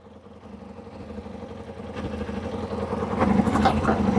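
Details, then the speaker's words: Kawasaki ZZR600 after new spark plugs, first start: lumpy idle around four stumbles a second, erratic rev dial; misfiring on a cylinder, new coils suspected needed. "just watching the rev dial, it's quite erratic. So it's definitely, so it's definitely misfiring, but it's starting, so that's a start."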